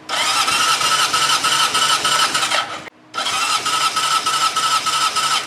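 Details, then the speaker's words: Original 1971 Honda CB750 K1 (about 18,000 miles) compression test, cranking with plugs out: even, steady beat with no weak pulses; about 150 psi on all four cylinders, a healthy engine; normal cranking compression. "this thing is almost dead nuts 150 psi across the board so I'm sure that is perfect"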